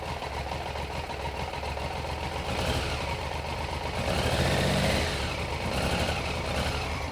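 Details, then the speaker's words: 1993 Triumph Trident 900 triple after sitting 5 years, carbs refitted, choke off, no tank and little fuel. The idle wanders, swelling and dropping over a few seconds: slight misfire, thought to be fuel starvation. "Sounds like a little bit of a misfire, but that's probably a fuel issue because we don't have a tank or much fuel."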